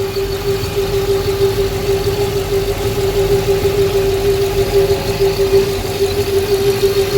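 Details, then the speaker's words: Custom twin-turbo Dodge Hellcat V8 with single Comp Cams cam, cold start idle: steady hollow hum from the exhaust manifold over the rumble, faint uneven pulse; heard since the manifold was fitted, cause unknown. "that sound you're hearing from the manifold i heard that before like when i first put it on so i guess that's just the sound that it makes like it's a hollow sound"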